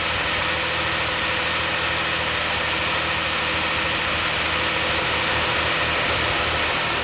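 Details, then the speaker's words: DeLorean manual, after CO adjustment and fans confirmed working: steady even idle stuck fast around 800–900 rpm, never dropping; too high for a manual, cause unknown, owner wonders about idle circuit. "Alright, so the CO is adjusted. It's idling kind of high. It's like, I don't know, 800, 900 RPM. It should be much lower than that."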